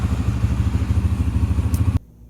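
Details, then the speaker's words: Flood-submerged Yamaha TTR 125, freed up after being locked, with the float adjusted and debris suspected on the tank needle. It gives an even, steady single-cylinder thump with no misses, then shuts off cleanly, running better. "the bike seems to be doing really good especially considering is it under water at one point so we'll fire it up and uh it seems to run a little bit better too"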